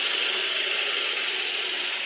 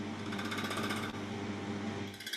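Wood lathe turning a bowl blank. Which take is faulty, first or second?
second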